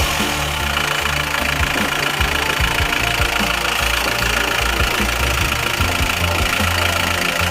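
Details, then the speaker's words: Isuzu Panther pickup diesel after engine overhaul for blow-by (one cylinder compression 24): injection timing advanced slightly as it felt sluggish, now crisper without knocking; steady idle with usual light clatter, no heavy knocking, normal. "tadi timing agak Saya majukan sedikit karena rasanya tadi agak kumal ini sudah saya masukkan sedikit soalnya menjadi lebih garing tapi tidak kerang"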